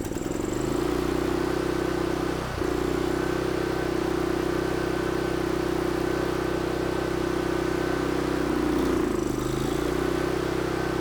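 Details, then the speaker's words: Mi-T-M 4000 PSI pressure washer engine with a full tank of good-looking fuel: a steady drone that dips and stumbles, puffing, and only keeps running on choke. Owner suspects the carburetor needs cleaning. "She's definitely puffing. I'm having to choke that rascal down to keep it running. Looks like I'm up for another carburetor cleaning."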